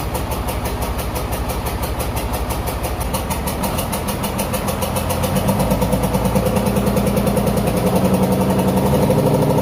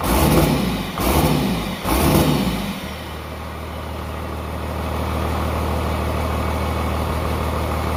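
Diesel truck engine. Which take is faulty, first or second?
first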